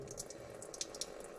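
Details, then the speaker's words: John Deere 450B dozer engine: a thin, steady trickle of coolant with drips, leaking from a spot the owner kept wiping. This explains the coolant found inside the engine. "well look at that I'm standing here and all of a sudden I heard something peeing that's the exact spot that I said that I keep wiping something off of I think I found the issue"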